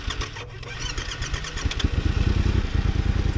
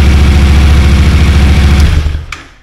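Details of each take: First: Yamaha T7 motor overheated after a radiator hose puncture lost all coolant, then ran 13 months with good compression before becoming hard to start: starter turns slowly for several seconds before it catches and revs. Owner guesses compression has dropped. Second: Yamaha T7 after a swap to a low-mileage motor from a crashed MT-07, first start before coolant filled and full reassembly: fired within half a crank, deep even low thump at steady idle for about two seconds, then cut off cleanly; healthy.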